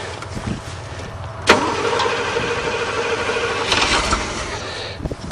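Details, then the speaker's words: 1984 Camaro Berlinetta first start, gas pedal held down a little while cranking: short crank, then the engine catches cleanly and settles into a steady, even idle without stumbling; normal cold start. "it a little oh started really good cool guess you can depend on your Chevrolet"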